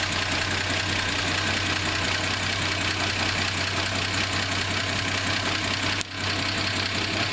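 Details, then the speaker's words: Slant Six inline-six that ran a manual transmission for its first 149K miles: idle with a loose, uneven rattle over a low hum; owner suspects worn main bearings, not confirmed. "I heard something I think this old slant is going to need some main bearings put in it you hear it I could be wrong about that"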